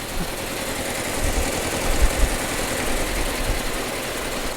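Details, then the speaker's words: 2004 Audi A4 B6 sitting three years, jump-started on a very dead battery: low uneven idle with irregular thumps and stumbles; rough idle, old gas in the tank suspected to be contributing. "it doesn't sound good but it's running [Music] I don't know how old the gas is that's in that tank so that's uh not helping this at all but it is alive"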